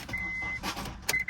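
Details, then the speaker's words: Copart auction car, engine checked for seizure with a jump pack on the battery, oil barely showing on the dipstick: brief even starter whirr turning over without a catch; engine appears to spin freely, likely not locked up. "yeah it's it spins over so engine's not locked up"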